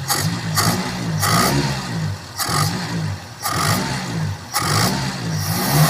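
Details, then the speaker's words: Carbureted Ford Laser engine blipped about once a second after a carburetor clean and adjustment, power-jet piston still working, accelerator pump linkage not yet fitted: each blip stumbles a beat before picking up, hesitation from the disconnected accelerator pump. "karena saat di digas digas kejut ee terjadi jeda atau telat"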